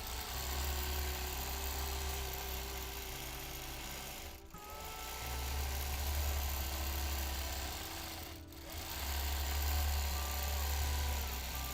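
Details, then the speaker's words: Sewing machine free-motion quilting at a steady run: light pops about four per second over the machine hum, one per stitch. The needle is suspected to be punching through a tightly woven turquoise fabric. "I don't know if you can hear the needle popping. That turquoise must have a really tight weave. I can hear every stitch pop, pop, popping."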